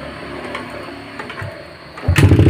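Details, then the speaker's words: Yamaha Jupiter MX new after fitting a cheaper non-original (KW) cylinder block and piston, cleaned not ported, radiator refilled: engine catches after two quiet seconds and idles evenly and smoothly, no abnormal knocks or ticks; long-term durability unknown. "suara motor ini menjadi halus ya tidak ada suara-suara abnormal walaupun kita menggunakan blok yang kualitasnya"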